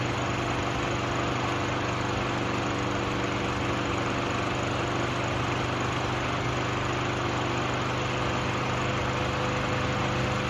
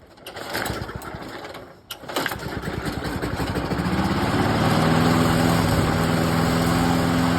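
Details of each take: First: Craftsman 6.75HP self-propelled lawn mower at full throttle after the fix. The bent throttle cable was moved to the furthest forward hole to hold the throttle wide open, since it wasn't getting enough throttle before and started unreliably. It now holds a steady, even buzz with no surging and runs cleanly. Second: Craftsman 6.75HP self-propelled lawn mower, gas and oil checked, primed about ten times: it stumbles and nearly dies after catching, then picks up unevenly to a steady buzz. Carburetor suspected, not confirmed. Hard starting and erratic running.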